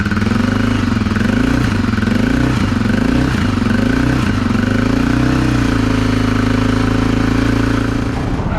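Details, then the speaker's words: Honda XR650L after the factory decompression mechanism was refitted on the cam and the badly out exhaust valve adjustment was fixed, cold, warming up: a steady single-cylinder idle with only the normal Honda gear whir, no knocks or ticks. The owner had feared a loose valve seat. "He was thinking like a valve seat was coming out or something. But I mean, so far I'm going to say it sounds pretty good."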